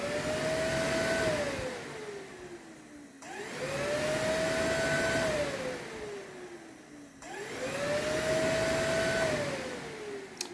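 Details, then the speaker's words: Triumph Tiger motorcycle being diagnosed for a no-start with no fault codes. Dealer-tool run test of the cooling fan gives a smooth whir that spins up and winds down in three even cycles; fan works normally. "cooling fan which is not part of our problem but I'll just show you how it works"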